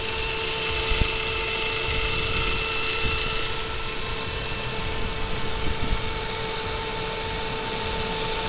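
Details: 2002 Saab 9-5 with the B205 engine: a thin, steady high whine holds constant over a quiet idle and doesn't change. The strange noise may come from an accessory or internal part.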